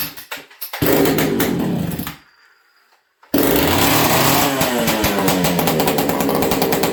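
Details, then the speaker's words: Ported XL 922 Super chainsaw started on full choke, fast throttle: a few pull-start coughs, a pause, then it fires into a fast, steady, crisp buzz with no misfires; healthy. "Okay, so full choke, fast throttle, and let's get this thing going. I'm going to pause you guys here and grab hearing protection. This thing's loud."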